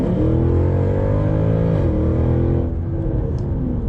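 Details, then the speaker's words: Mercedes W204 C63 AMG in Comfort mode, full-throttle kickdown on a slip road: engine note drops and jumps twice in quick succession as the automatic gearbox hunts between gears instead of picking one. "see there was like it changed gear twice it was very intermittent it didn't want to change gear appropriately"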